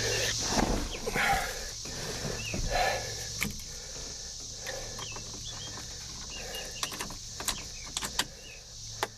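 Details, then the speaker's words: Forgotten Plymouth Valiant, carburetor primed with gas, battery reconnected: engine starts right up and settles into even low idle with steady hiss, no misses; oil pressure good, ignition fine. "all righty then we got a wheel pressure that's good that just start right up didn't it"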